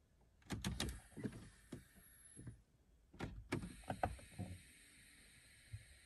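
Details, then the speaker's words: 2003/04 Mustang Cobra: soft thunks and short hissy puffs with each turn of the mode knob as the vacuum-operated HVAC doors shift between floor and vent; normal vacuum mode door operation. "and that's going to operate your air conditioning when you switch it from floor to vent and all that that's done off of vacuum"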